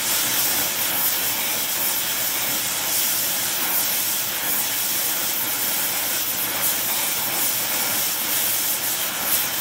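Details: Air Products Integra oxygen and acetylene cylinders with integrated regulators and flashback-arrestor quick connects, small mixer torch welding; aiming for 4 psi on a 380 psi gauge. Steady, even, smooth hiss, no popping or sputtering; normal oxy-acetylene flame.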